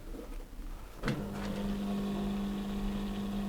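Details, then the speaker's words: Indesit YTM1071R heat pump tumble dryer, side panel temporarily refitted: condensate drain pump hums steadily with no drum noise, running on its own before any programme is started; cause still a mystery. "yeah it's pumping and it's getting to the top it's a complete mystery this so far then I haven't even started it yet it's just doing pumping"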